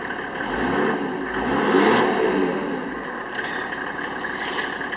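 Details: Land Rover Defender with Mercedes OM606 3.0-litre six-cylinder diesel and automatic conversion, revved after the dash install; climbs and falls cleanly through a few blips with steady clatter, no knock or rattle. Normal revving.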